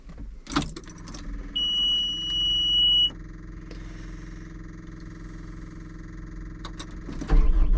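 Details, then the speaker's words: Cat 259D machine idling; high alarm tone for about a second and a half, drive cuts out the moment it goes forward (reverse, left, right work). Code 2476-3: left joystick position sensor above normal; fixed by replacing joystick base. "Alright, it'll go backwards, left, right. The moment it goes forward, throws the code."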